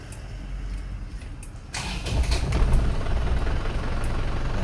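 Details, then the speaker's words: Isuzu Panther Turbo 4JA1 diesel after engine overhaul (new liners, pistons, rings, bearings, gaskets, thermostat), recorded 1 m from car: starter cranks briefly, engine catches into steady even idle, no knocks or misses; healthy start. "Nah, mesin sudah hidup, Teman-teman, ya. Mesin sudah hidup. Dan bisa kita dengarkan ini jarak dari mobil 1 m ya. Kalau yang kemarin seperti ini juga bersih suaranya enak didengar teman-teman."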